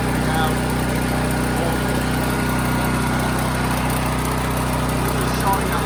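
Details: Firman tri-fuel generator running on natural gas for whole-house power, restarted after the choke was returned to normal: steady, even drone with a constant low hum and no misses or surging; runs smoothly and supplies 240 V.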